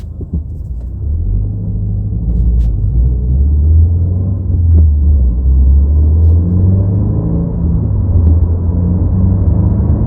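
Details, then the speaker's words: 2022+ Subaru WRX with STI-style wing after whistle-eliminator kit fitted, at 50–70 mph: steady road and wind rumble, rear wing whistle gone, only a tiny residual noise. "all right you guys so I don't hear the whistling sound anymore which is kind of weird and I'm so used to it"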